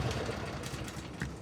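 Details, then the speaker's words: Briggs & Stratton 24HP V-twin lawnmower engine after full carburetor cleaning (was surging from trash in the carb): even, steady beat with no surging or hunting, holding speed; back to its old self and running great. "looks like it's back to its old self and it's running great"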